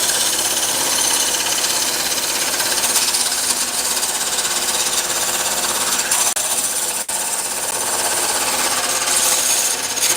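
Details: Wood lathe turning a lopsided blank: fast uneven chattering rattle over the lathe's hiss as it wobbles; normal chatter from the out-of-round blank, to be shaved down until it no longer wobbles.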